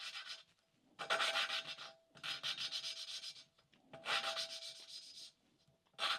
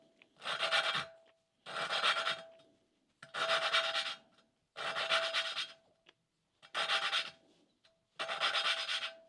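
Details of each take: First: 1988 Suzuki GSX-R1100 cylinder head valve being hand-lapped with oil on the valve, even back-and-forth strokes that start grinding and smooth out, with no harsh catching; the valve seat is cleanly mated. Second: Hand lapping a valve on a 1988 Suzuki GSX-R1100 cylinder head with oiled valve: slow, even back-and-forth gritty rasping strokes while valve and seat are not yet mated; the grinding should smooth out once seated.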